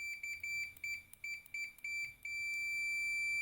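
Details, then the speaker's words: Fluke 287 digital multimeter set to continuity (F3): a bright high beep pulses in quick bursts, then holds steady once the probes touch together; continuity function working normally. "Jadi kita tekan tombol ini, F3 skala kontinuitas. Jadi, ketika kedua probe ini disentuh bersama, akan muncul ikon seperti"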